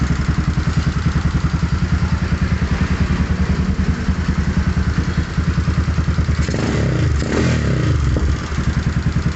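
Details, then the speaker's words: Modified Yamaha Scorpio single-cylinder motorcycle, hard to kick-start, battery charged: uneven, lumpy low idle with a stumble near the end, missing; plug found black with oil getting in, fouling it, new plug fitted. "Ternyata setelah saya cek review businya hitam."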